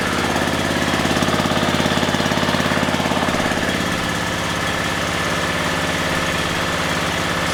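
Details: Scrap-pickup riding mower, its small single-cylinder engine started just as it sat after it had been driven and mowed. It chugs at a steady, even beat of about two and a half pops a second, and the owner noticed no knocking; running normally.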